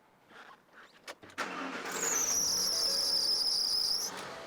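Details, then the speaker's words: Ford F-150 right after a cold start after sitting overnight: a thin, high serpentine belt squeal rides steadily over the engine for about two seconds; an intermittent complaint that only happens first thing in the morning. "customer's complaint belt squeals seems pretty simple no not the case at tech garage it's an intermittent problem only squeals first thing in the morning"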